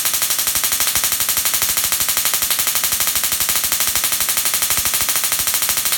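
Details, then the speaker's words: Dual RPS half reconfigured to about 100 kV with half the diodes flipped, Darson Bell configuration; sharp regular snaps about four per second, even and relentless, as it charges up and discharges; normal spark gap discharge. "so it'll run it charges up discharges starts making the noise"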